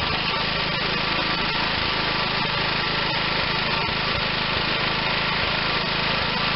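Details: Bolens Husky G10 1055 garden tractor's Tecumseh HH100 single-cylinder engine, repaired and reinstalled, runs at a steady fast putter with no knocks or surging: normal running.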